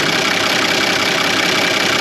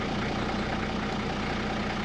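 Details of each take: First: 1985 Toyota Land Cruiser HJ75 diesel idling steadily with a vacuum fitting pulled off; strong continuous hiss of air drawn in, plenty of vacuum felt at the thumb, so the brake fault lies in the drums or calipers. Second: 1985 Toyota Land Cruiser HJ75 diesel, after sitting a week, restarted after preheat: steady low idle with even clatter, no knock; earlier stalled when oil pressure read nothing, tripping the low-oil-pressure safety cutout switch; low oil pressure shutdown.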